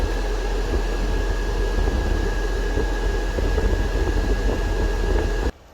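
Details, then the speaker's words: 12V battery-powered parking AC on a semi truck, blower switched to full speed: steady rush of air with a constant faint whine, running normally at full power. "So it's cold enough, and if I take it on full speed, you hear the wind sound. Now it's in full power."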